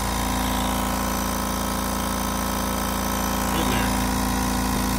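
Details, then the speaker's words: Kobalt Quiet Tech 4.3-gallon air compressor after capacitor check and motor reinstall, previously blowing air out via check valve at cutoff: even quiet motor-pump hum with regular low pulse, no air leaking; running normally. "I mean you can hear how quiet this thing is I love it"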